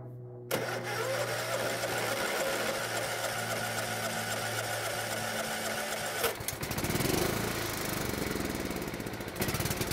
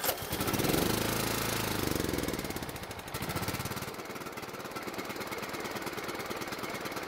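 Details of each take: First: Riding mower single-cylinder engine that only ran on full choke, carburetor just refitted: starts with steady even drone, settles at a new speed and keeps running smoothly; normal running. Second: Old riding mower single-cylinder engine primed with gas, carburetor previously cleaned and jet cleared yet dies off choke: uneven thumping about three beats a second, sputtering and surging, no steady idle; runs only on full choke, blocked carburetor or fuel jet suspected.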